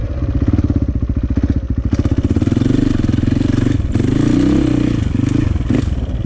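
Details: 2004 KTM 450 EXC with Keihin carb, sat 6 years, at low speed. An uneven blubbery single beat as the throttle opens, a rich stumble off idle; fuel screw suspected too rich.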